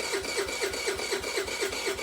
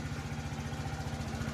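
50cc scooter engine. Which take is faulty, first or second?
first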